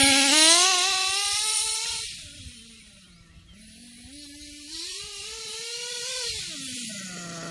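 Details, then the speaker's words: Kyosho KE25 Big Block nitro engine, tank topped up to half, after setting the high-speed needle and before the low-speed needle: high buzzy whine climbing and falling smoothly with throttle, never stumbling or cutting out, good smoke trail. Normal running. "Yep. Seems about right there. It's no cutting out. Still getting a good smoke trail. Good performance."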